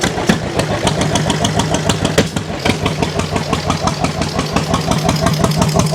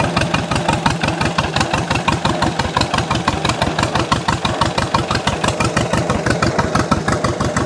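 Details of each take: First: 1929 John Deere GP tractor on first start after restoration: slow, lumpy, unevenly spaced pops, running like a one-cylinder; rough running, misfire, owners suspect dirt on shield burning off. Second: 1929 John Deere GP two-cylinder tractor after its first start; the slow, even popping beat holds steady at idle with no misses, sounding better the more it runs.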